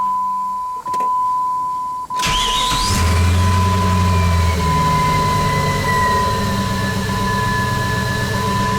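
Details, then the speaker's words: Jeep Grand Cherokee WJ 4.7 V8 with 200,000 miles, after an exhaust manifold leak that tripped an O2 code was fixed with new flange bolts. A chime, then a smooth, even idle with no ticking or puffing from the manifold. Normal start and idle. "So this thing's pretty quiet for 200,000 miles."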